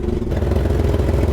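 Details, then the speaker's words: 1999 Chevrolet Camaro idling with the fuel pump relay removed, both fuel lines off and the fuel gauge reading zero, yet it keeps running; uneven, lumpy, clattery idle from rough running caused by fuel flooding from the wrong injectors. "right now the fuel pump relay is off and look at this vehicle's on it's kind of sounding cruddy"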